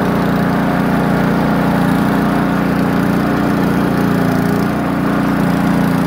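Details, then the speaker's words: Poulan Pro snowblower single-cylinder engine idling steadily, no surging, after repair of idle surging that included tightening a loose nut. "i'd test it a little bit it seemed to be running much more smoother"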